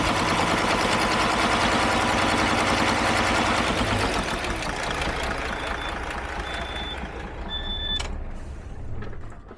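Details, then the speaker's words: Model year 2017 DAF XF, MX-13 diesel, no ECU faults: revved, a hard fast mechanical clatter over the roar fades as revs drop; broken exhaust-brake rocker part still pushing on the valve. "What we've got is this is now currently sat like this, still pushing on the valve, which is why we've got no faults in the ECU. But mechanically, you can hear the fault."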